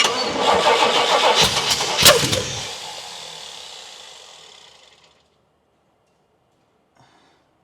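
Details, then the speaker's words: 1979 Pontiac Trans Am on a first start attempt: long, ragged cranking with sharp pops and flames, no catch, then winding down. Base ignition timing is badly out. "Yeah, she definitely going to need the base timing set. You can see that flame action coming out."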